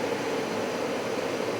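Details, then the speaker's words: Carrier/Bryant Evolution furnace with replacement ECM blower motor, after repair: steady even whoosh and smooth mid hum, no rubbing or ticking; the blower runs normally. "oh oh there is a beautiful sound the fan is working again"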